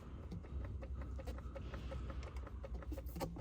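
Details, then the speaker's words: Ford 6.7 Powerstroke truck (2011–2016 generation) with airbag warning light; quiet, rapid, evenly spaced clicks behind the steering wheel; scan confirms clock spring fault, not the airbag; faulty clock spring. "confirm clock spring fault will definitely is not the airbag plus we hear the clicking noise coming from the steering wheel"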